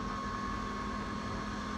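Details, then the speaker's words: Supercharged Pontiac Bonneville SSEi new electric intercooler pump while filling coolant through fill tube: steady high whine near 1 kHz, no rhythm, screaming until air bubble purges; pump starved by trapped air. "You can hear it. Oh. Alright, go ahead. Hurry up. It's screaming some more. Dude, she thirsty."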